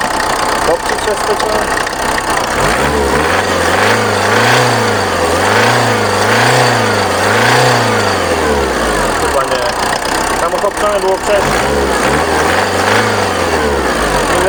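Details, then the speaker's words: VW Passat B3 diesel after revival, possibly flooded from cranking: idle rises and falls about once a second, still jerking but improving; it smokes, has a leaking mid/rear exhaust joint, and the injectors are unchecked, so the cause is unconfirmed. "No zobaczymy no nie chce pochodzi jeszcze bo już coraz lepiej chodzi jeszcze delikatnie szarpie ale już lepiej niż na początku"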